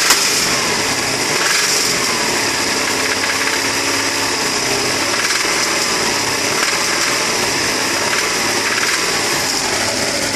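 Engine idling with a hard, busy clatter riding over the hum; the persistent knock under idle points to a worn connecting rod bearing.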